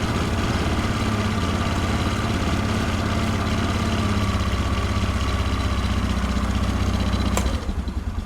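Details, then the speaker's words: 1997 Polaris Sportsman 500 ATV, single cylinder, idle set down after being turned up high, choke just turned off: even thump about three beats a second, steady and smooth, settling low; healthy idle, though it would not rise off idle. "okay there we go no choke and you can hear this thing idles perfect it sounds fantastic back here sounds good the exhaust like I said this thing sounds fantastic at idle"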